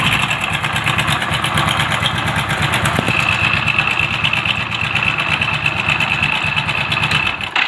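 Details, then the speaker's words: Idling motorcycle whose timing chain was replaced with an original one a month earlier: loose, busy metallic rattle over the engine beat. Diagnosed as timing chain noise. "இந்த sound தான் நம்ம arrest பண்ணப்போறோம் இதுக்கு timing chain தான் இது 100% நான் சொல்லுவேன்"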